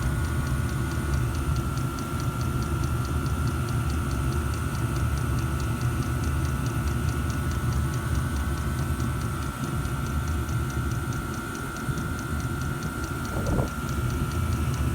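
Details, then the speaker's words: 5kW Chinese diesel heater on 3 bars, outdoors at about 9–10 °C: quick, perfectly even dosing-pump ticking over a steady fan hum and burner rumble. The pump runs fast as expected, with no smoke. "I know the pump should be pumping that fast, but we've still got no smoke."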